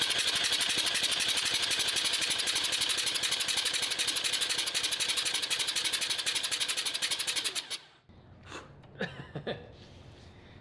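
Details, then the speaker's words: Three-rotor rotary RX-7 running ethanol with premix, flooded; starter relay shorted to spin it over without ignition, fast even cranking about four beats a second, no firing, fuel vapor expelled to clear the flooded engine. "i'm gonna short just the starter relay you should hear it start over but you don't want it to ignite"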